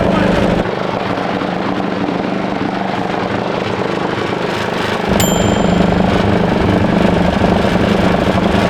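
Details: 1941 Caterpillar dozer, sat for a few years: main diesel motor cranked via the pony motor gives a steady heavy drone of about 3.5 beats a second, pops weakly but won't start; fuel starvation suspected, possibly plugged fuel filters.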